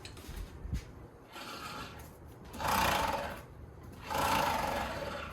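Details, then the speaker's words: Wright Velke mower that won't drive, jacked up with the brake off, drive wheel turned by hand: a rough, rasping grind swells in bursts, unlike the good side's smooth sound; drive-side grinding, cause still unknown. "that doesn't sound good doesn't sound the same either you know what I mean"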